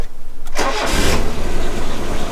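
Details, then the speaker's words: 1985 Mazda 929 HB coupe, first start after 10+ years sitting, after fuel lines swapped back from the wrong way round (tank was aerating). Starter cranks briefly, then it catches into an uneven, lumpy idle: rough, needs a service. "she's a bit rough, she needs a service, but check that shit out."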